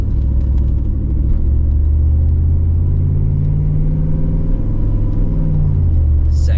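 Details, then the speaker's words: GMC Yukon with a freshly rebuilt 4L65E automatic transmission on its first test drive: the engine note climbs steadily, then drops cleanly into the next gear without slip or bang. It is a smooth, healthy upshift and later reaches fourth. "gear. Ooh, that was smooth. That was smooth. Third gear."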